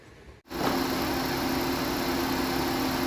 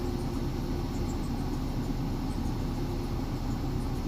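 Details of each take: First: Thai car after replacing the exhaust oxygen sensor and an air sensor, which fixed shaking and stalling at idle that new spark plugs and coils had not cured: engine starts and settles into a smooth, even idle with no stumble or shake. The idle problem is resolved. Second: นี่นะครับคือตอนนี้เบาดับไปแล้วนะครับเครื่องไม่มีกำลังนะครับแล้วก็จะเบาดับไปเลยนะครับ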